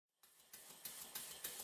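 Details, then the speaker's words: Stuart S50 model steam engine on a compressed-air test run after the rear cylinder cover leak was fixed, the piston refitted with a silicone O-ring and valve timing reset: crisp, evenly spaced exhaust chuffs about three per second, no knocks or hiss, running well. "a quick test run and it seems to be running very well indeed"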